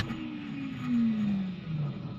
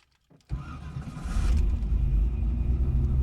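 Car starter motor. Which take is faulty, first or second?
first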